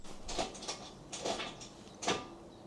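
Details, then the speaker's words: Toyota Aygo MMT automated gearbox, dropping into neutral despite new clutch; during clutch/selector relearn done wrongly (missed ignition cycle), engine started with brake pressed in neutral: three sharp clunks as the gear selector actuator moves erratically, leaving no gears. "Now just listen carefully when I press go. You'll hear clunking and clanking. That's the selector going doolally."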